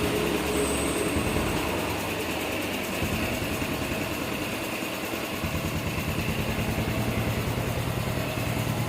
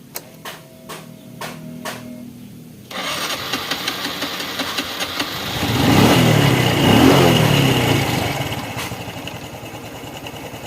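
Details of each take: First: Honda Revo Fit FI motorcycle after repair (valve clearance 0.10, piston oversize 50; battery weak at 11 V, 10 V cranking), previously hard to start without full throttle: even steady single-cylinder beat at fast idle, no knock or tick; running smoothly. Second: Honda Revo Fit FI motorcycle, kick-start: starter clicks, then engine catches only with wide throttle, revs hard and settles to a rough idle; compression feels very light, as if leaking, causing hard starting.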